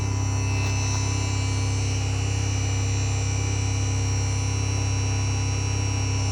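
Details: 5.1 amplifier, apparently in Bluetooth mode, gives a steady low hum with a faint buzz on top that never changes. Mains hum, source undetermined.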